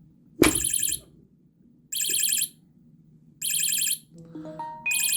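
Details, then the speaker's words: ABC electronic motion-sensing bike lock alarm (9V battery) with a magnet holding its ball-bearing motion sensor: repeating shrill warbling beeps about every 1.5 s, duller and less loud; sensor slightly desensitised. "you can see that's less loud now um so that wasn't quite as loud and now I should be able to touch it just a teeny bit more it's still sensitive but I can move it a little bit more without the alarm going off"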